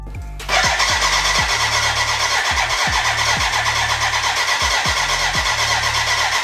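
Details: BMW K100 café racer build, first start attempt with fuel in: steady starter whir, compression beat near three per second, never catches; fuel problem, dry despite being connected to the tank, crank no start.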